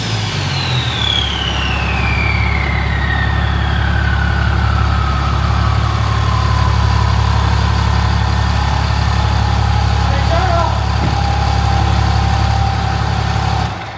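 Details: 800 hp compound-turbo diesel shop truck during a sound test after the turbo was reinstalled to fix an oil leak: deep, even rumble with a turbo whistle sliding down as revs drop, no boost hiss or chuff, sounds sealed; normal running.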